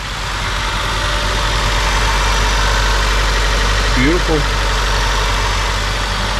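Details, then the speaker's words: 2003 Honda Civic at idle after catalytic converter replacement for code P1420: steady even idle, smooth low rumble, no exhaust leak puffing or ticking; sealed and healthy, though the code was not fixed. "i don't hear any exhaust leaks this sounds good"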